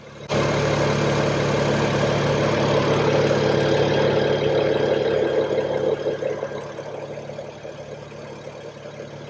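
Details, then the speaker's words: 2006 BMW E92 335i, started cold with driver's door open: smooth idle with no loud ticking that would point to wastegate actuator arms; any other ticking could be injectors or top end before oil picks up. "you can hear this one runs smooth if there's any other ticking from this area some of it could be the injectors"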